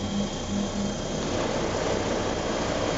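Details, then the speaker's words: 1986 Clean Burn AH-86 140,000 BTU waste-oil shop furnace, very old but reliable, burner recently serviced; once up to temperature the blower fan kicks on: steady rush of air with low even drone, no rubbing or rattle, normal running. "It's a very old machine, it's very reliable, and it works great. As soon as it comes up to temperature, this fan will kick"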